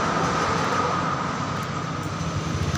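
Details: Honda Beat injection scooter after a blown fuse was jumpered with wound wire, key on then started: engine catches and settles into a steady even running note; starting and running normally.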